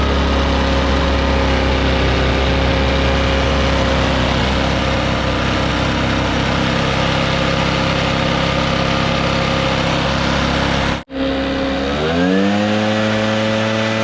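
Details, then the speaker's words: Echo PB650 backpack blower, a barn find stored several years, first start after draining the old gas and adding fresh fuel: strong steady two-stroke buzz, a brief cut-out, then a smooth climb in revs; runs well. "wow well it seems to work pretty good and that's powerful enough to blow that gravel around make a heck of a dust storm"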